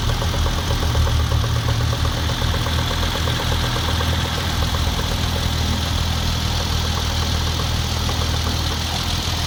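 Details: Hyundai Genesis Coupe 3.8, cold idle in winter: sharp rapid clicking knock that starts, then fades after 5–10 seconds, recurring intermittently; owner suspects accessory-belt-driven part or A/C rather than engine itself, refrigerant odour sometimes noticed; fan ruled out.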